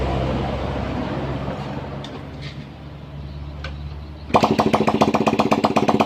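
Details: 2009 Yamaha Jupiter Z, 9 years old, after engine teardown for white smoke with piston replaced only (no rebore), run without exhaust pipe to check for smoke: starts and settles into quick, even, sharp open-pipe idle, no misfire or knock.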